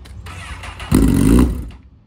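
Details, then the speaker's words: Crashed Craigslist Honda CBR liter sportbike, broken key switch bypassed by joining two wires; starter churns, short rough burst of revs for half a second, then falters and dies, won't stay running. "It won't stay running. You bought a hunk of junk, dude."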